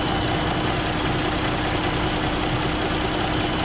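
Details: 2017 Jeep with the 3.2 engine, hot idle: rough, uneven running with an irregular stumble two to three times a second from a cylinder dropping out; an injector fails open once hot (codes P0205, P0305), so it was replaced.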